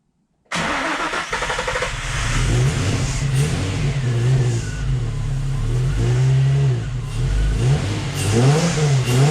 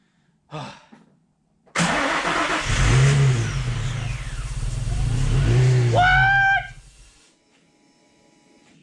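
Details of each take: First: Nissan 350Z after suspected computer fault: catches after short crank, then uneven surging idle with revs hunting; idle terrible, owner suspects bad fuel. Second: Nissan 350Z, first start after no-start troubleshooting. It catches at once, takes two quick throttle blips and keeps running; idle is nearly nonexistent, probably from bad fuel, and the muffler sounds poor. Engine starts and runs.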